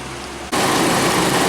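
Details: 2005 Chrysler Sebring with overheating and coolant loss; cooling fans replaced after one shorted and blew the fuse: quiet, then a steady, even rush of air holds with no rattle or scrape, new fan running normally on high speed.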